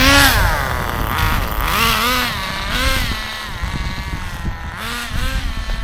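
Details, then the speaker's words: ACME Condor Pro A300 1T 1/10 nitro RC buggy, circa 2002–2005, not run for almost 20 years, engine preheated, throttle trim high; small nitro engine screams and dips cleanly with throttle blips, no misfire or bogging; started quickly, normal running. "back into the garage then and yeah that was a good run out for the Acme condo Pro started really quickly"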